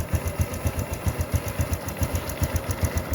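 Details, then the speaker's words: Honda Supra X125 FI single-cylinder idling after a new cam chain and its flute-type tensioner were fitted; steady putter at about four beats a second with no rattle left. "Kita cek suaranya masih gemericik lagi enggak. Top. Suaranya halus."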